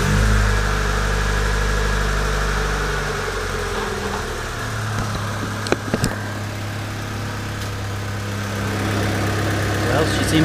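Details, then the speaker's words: Honda D-series (D15B/D16) engine started after checking cam timing marks: even, steady idle with a low drone easing down, good throttle response; normal idle, timing confirmed correct. "run pretty smooth timing must have been right where it needed to be which I already knew that but still check the throttle response just to be sure"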